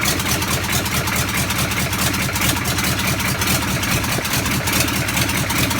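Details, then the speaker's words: Land Rover Defender with a V8 conversion, first cold start with no exhaust fitted and no coolant (dry fire): a loud, even V8 burble with crackle and flames from the open pipes, steady firing, no knocks or misses; the engine runs healthy. "I don't think my neighbours appreciate it, but that's one of the nicest sounds I've heard in a while, is that starting up from cold."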